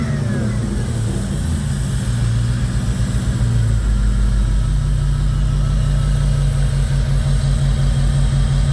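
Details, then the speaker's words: 2002 Jeep Grand Cherokee 4.7 HO at idle: an uneven, lumpy exhaust beat with a regular skip, a clear miss on cylinder 3; the code read is a cylinder 3 coil primary circuit fault, a wiring error rather than a coil error. "Nope, she's still missing. Still has a very clear miss on cylinder 3."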